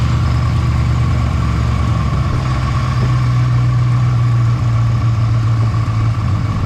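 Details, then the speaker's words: 1970 Ford Falcon barn find, engine formerly frozen after 29+ years standing, newly fitted Chevy glass-pack exhaust, idle just turned down: a deep, even, throaty idle with no misses or knocks; runs healthy. "there we go headlights are adding I like it sounds good happy it's idling"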